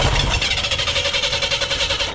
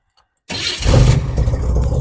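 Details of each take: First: Abandoned 1988 Chevy S10 Blazer: even starter cranking at about three or four pulses a second, engine never catches; no fuel squirting into the carburetor bowl, fuel pump believed dead after briefly running. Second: 1988 Chevy S10 Blazer, abandoned: silence, then starter catches and engine fires straight up into a steady, even low rumble after reconnecting the neutral safety switch; normal start.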